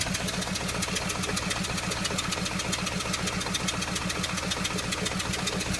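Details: Audi A3 at idle: a steady idle broken by a regular pulsing stumble, roughly two and a half per second. The coil pack has been changed and compression is present, so the persistent misfire's cause remains unknown.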